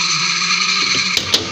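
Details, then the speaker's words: Washing machine spin dryer that won't spin with a load, powered on and timer turned: steady high-pitched whine over a strained hum with a couple of brief knocks; spin motor labouring, not picking up speed. "इसका ये एक problem है। अभी ये आवाज़ भी पैदा कर रहा है।"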